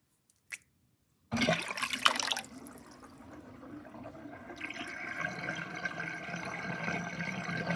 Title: Interesting kitchen sinkdrain with drainbasket and gurgling sound (1)